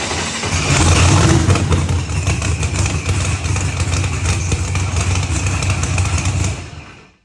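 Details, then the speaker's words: Procharged billet-block LSX Corvette on the dyno: loud sustained full-throttle roar for about six seconds, even and steady with no misses or pops, revs climbing quickly, then cut off cleanly; normal clean pull. "it did sound clean that sounded super smooth yeah she was coming up quick"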